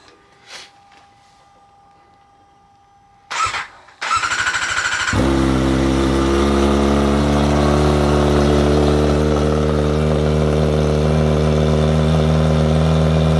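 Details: Kawasaki Ninja ZX-4RR first start after installing Vandemon full titanium exhaust with carbon tip (stock air filter still in): short crank, then loud, deep, very even idle; healthy.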